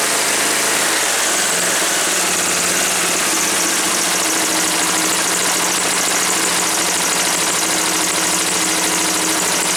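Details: Woods 6180 zero-turn mower, 18 hp Briggs & Stratton Vanguard V-twin, with an air filter borrowed from another V-twin: even, steady beat with no misses, knocks or surging; running cleanly.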